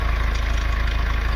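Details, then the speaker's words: Mahindra Scorpio S9 BS-6 diesel, just started after a crank-no-start fault (DTCs P065100, P246300, DPF soot mass high), heard from outside: heavy, fast diesel clatter at idle with a strong low throb. Excessive engine noise, suspected timing chain. "Customer से मैंने बात किया और आवाज आ रहा है बाहर का टाइमिंग चैन का और डीपी सूट मास हाई है।"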